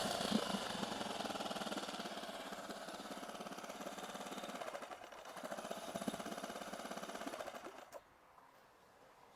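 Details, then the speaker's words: 8 hp four-stroke outboard, rebuilt after a broken connecting rod from running without engine oil, in neutral after a restart and blips: smooth, even run with fine steady valve ticking and no knocks or misses until shut off. "ขอลองเบิ้ลดูนี่นะครับผมเครื่องนิ่มเลยนะครับผม"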